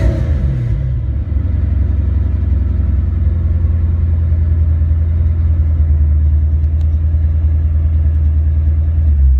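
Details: Ford Mustang after a mass-air ECU (A9P) exchange, on a test run. Revved up and held with a deep, steady rumble and no popping or breakup; checking for breakups or engine lights, the engine pulls clean.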